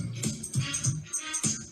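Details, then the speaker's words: 1982 Panasonic RX-C100 boombox playing a tape; each bass thump comes with a buzzy rattle from the speaker, worse in the lower frequencies; owner plans to replace the surrounds on the two woofers. "You can kind of hear the speaker rattle a fair amount."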